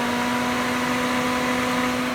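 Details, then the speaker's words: Nissan Titan AC condenser fan just replaced, everything plugged back in: a steady, even whir with a constant mid tone and no rubbing, ticking or wobble. The new fan runs smoothly and sounds healthy. "So a few seconds, we're going to get the condenser fan to turn on. Everything's plugged back in."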